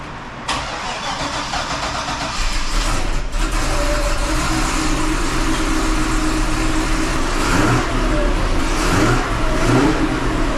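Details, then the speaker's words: 2005 Chevrolet Corvette V8 with 2" headers after exhaust leak repair (new V-band clamps, new gaskets, Permatex high-temperature RTV): strong cold start, then steady even idle with clean rev blips, no ticking or puffing; smoothest running in months. "all right guys now that is the smoothest I've had this car running in many many months"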